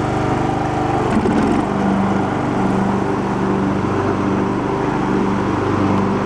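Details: Abandoned Poulan Pro riding mower, which earlier idled but popped back as if too rich, now mowing with the deck engaged: steady single-cylinder drone at even speed with no stumbles or misses. Runs properly under load.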